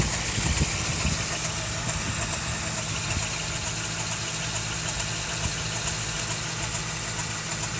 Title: 88 4Runner 22RE strange noise.